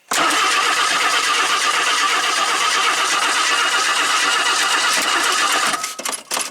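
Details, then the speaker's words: 1977 AMC AMX Hornet junker being revived, cranked for the first time: steady starter churn for about six seconds, engine never catches; no spark because the coil wire was found disconnected. "Huh. Well, it don't seem like it's getting any spark. Alright, we're going to check the spark."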